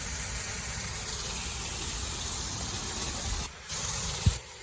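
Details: Repiped sprinkler inspector's test line flowing before shutoff, which will build pressure to check for leaks. Steady, rushing hiss of water at full bore with no sputter or surging; flowing properly.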